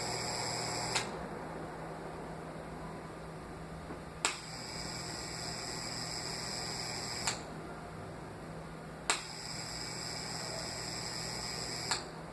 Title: Ventilador com barulho